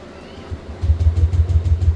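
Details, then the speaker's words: Yamaha Aerox V1 scooter that would not start since morning: starter chugs the engine over about six times a second but it never catches, no fuel pump hum heard; crank no start, owner suspects fuel pump or line. ">> Oh wala nga to oh. Ridondo lang siya. Ayaw tumuloy."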